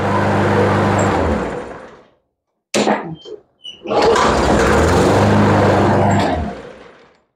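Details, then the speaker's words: Craigslist Toro mower that previously would not shut off: even buzz, dies out, a few clatters, fires again and settles into a steady run; starts a little odd but runs well; new spark plug and air filter planned. "Now she starts a little odd, but she does run pretty good."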